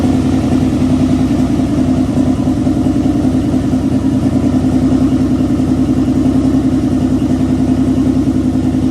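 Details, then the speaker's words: 1992 Nissan 300ZX Z32 NA-TT, first start after engine install with little else connected: loud, lumpy uneven idle stumbling about three times a second. Misfire from a large vacuum leak; a smell is noticed. "That shit was running on air. It was running on fucking hopes and dreams. It has a little mist though, so you might have something going on."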